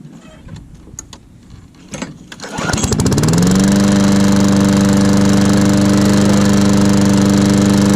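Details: Old Murray push lawn mower, after several failed cold pulls: a few rope pulls, then it catches and settles into a steady, even run; normal start after a starting hiccup.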